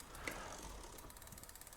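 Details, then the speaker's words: Himiway D7 full-suspension e-bike with a 1000 W motor: clicking the shifter makes the rear gears tick fast, "chick, chick, chick", with the chain chattering and then jumping. One click dropped two gears, and there is cable play; the rear derailleur is out of adjustment. "Clicked it. Hear it kind of like chick, chick, chick, chick, chick. Something's not quite where it needs to be. And then it jumped too."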